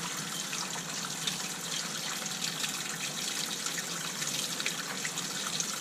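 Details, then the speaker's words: Water turned back on, hot and cold, through new temporary PEX construction lines in a fixer-upper, with SharkBite fittings joining the PEX to the old pipe; even hiss from the tap, no hammering or air bursts, normal flow. "Alright, the water's on, hot and cold."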